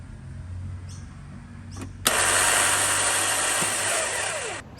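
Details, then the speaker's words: Lexus RX330 with Toyota 3.3 litre V6, no-start with plenty of battery power: turning the key gives a high whirring spin for about two seconds with no cranking, as the starter motor turns but the Bendix doesn't kick out to engage the flywheel, so the engine isn't turned over. "And so what that actually is, the starter motor is turning, but the Bendix is not kicking out and hitting the flywheel. So it's spinning in the wrong spot, not engaging the flywheel, and so not turning the motor over."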